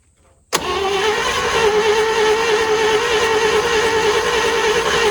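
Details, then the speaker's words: 1940s GMC 6x6 two-engine military truck, sitting 40 years, on ether: sudden catch into a rough, busy, uneven run; close to running on its own but not clean, owner worried the carb is flooding. "oh boy it's close I'm worried about this carb flooding"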